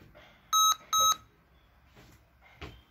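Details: Lenovo IdeaPad laptop, display working: two short high identical beeps half a second apart, then quiet; repeating double-beep POST error warning, cause unsolved.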